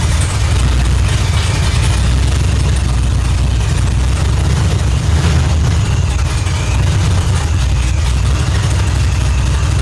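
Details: Holden Ute supercharged V8 (F1A blower), 4L80 transmission, 1 7/8 long-tube headers, Holley Dominator ECU, tune still unfinished: deep steady idle, heavy low rumble, no misses or knocks; normal idle.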